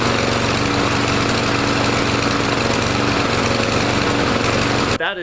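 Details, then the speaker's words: Troy-Bilt TB230 169cc four-stroke gas lawn mower after Sea Foam treatment: small engine runs with a lumpy, hunting beat and wavering pitch, still not quite right; a malfunctioning automatic throttle governor fails to hold speed. "Maybe good just to let the lawnmower run a little bit cuz you could hear it was still a little bit funky. It wasn't quite running right."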